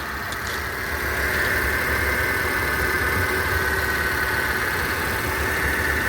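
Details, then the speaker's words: 2006 Mercedes S350 (W220) salvage car idling while checked for temperature. Steady, even idle with no misses or knocks; some smoke seen, which the owner suspects is a valve cover. Runs smoothly. "Yeah, it might be a valve cover or something. The car seems to run pretty smooth."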